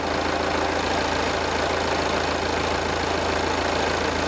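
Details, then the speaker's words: Diesel idling with a pressure-pulse sensor in the crankcase via the dipstick tube: steady, even clatter with no uneven puffing or surging. Even crankcase pulses show no excessive blow-by past the rings. "we see the nice even pulses within the crankcase which goes to prove that there's no excessive blow passed by rings"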